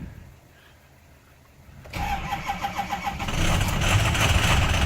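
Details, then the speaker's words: 2007 Ford F250 6.0 diesel cold start after glow plug warm-up: slow even cranking, then catches with a little smoke into a loud, slightly rough cold idle; sounds good for how cold it is. "she goes since I'm a little chunky a little bit of smoke blew out not too bad - that sounds pretty good for as cold as she is"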